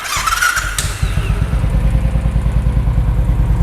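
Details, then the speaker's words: 500cc single-cylinder motorcycle, stock engine with re-made exhaust header-to-silencer (arrived dead, stiff throttle, running badly): after start, soft even low thump about three beats a second, quiet exhaust — normal idle. "Di Enggal Modified rata-rata knalpot ketika idle gini itu suaranya lembut, nggak berisik, nggak ngeganggu telinga, nyaman."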